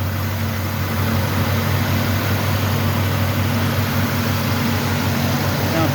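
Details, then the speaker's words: 1969 Ford Mustang Mach 1 V8 first start in months on a new battery: steady, deep idle burble with no ticking or knocking. "Sounds good. No ticking. No knocking."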